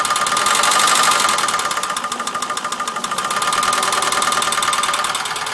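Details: Ford Sierra 2.0 OHC carburetted engine at busy idle: rapid, fairly even metallic ticking about four per second; engine knock, source undetermined.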